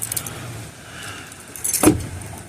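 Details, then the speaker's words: Hyundai Santa Fe front door after latch actuator replacement: a single soft, muted thunk as the door closes, with no harsh clack. The new latch closes normally, unlike the old-sounding opposite door. "So now when you close it, you hear that sound? Sounds a whole lot better."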